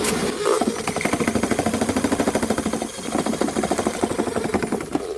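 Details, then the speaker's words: Older drill-type spring drain cleaner with heavy spinning head: fast, uneven rattling beat, two or three knocks a second, strong vibration passed to drum and operator's hand, worse with short cable extended; excessive vibration. "진동이 엄청 느껴지죠. 이게 저 통으로 진동이 가거나 아니면 제 손으로 그 모든 진동을 다 받아줘야 돼요."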